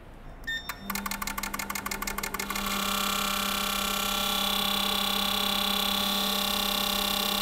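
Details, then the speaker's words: 2018 Porsche Macan 2.0 turbo GDI petrol, 95,000 km, misfires on cylinders 3 and 4 and fuel smell at exhaust: bench injector spray test, quick even ticking into a steady buzz; injectors 1–4 seem to show no significant difference. "일단 인젝터는 장비 걸어 가지고 분사를 잘하는지 1번부터 4번까지 편차 없는지 좀 체크를 해 볼게요"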